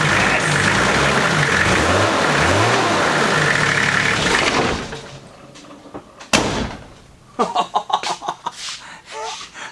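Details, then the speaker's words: Nissan GQ Patrol diesel after fixing a suspected engine or injector knock: steady even diesel clatter for a few seconds with no knock on top, then shut off; knock now gone, engine healthy at idle. "thank you to what it sounds like now that engine knock injector knot whatever it is gone"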